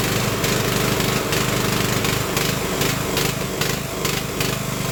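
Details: Craftsman LT1000 riding mower after Briggs & Stratton engine swap, cold start after sitting over a week, brake on, testing blade engagement: loud, steady putter with even pulsing beat, no misses or knocks; running cleanly.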